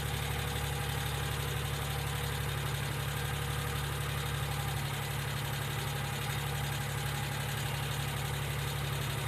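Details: 1995 Geo Metro at idle: light, steady tick, about two or three per second, sounding like valvetrain ticking, possibly lifters. B-12 fuel injection cleaner is added to the engine oil before an oil change.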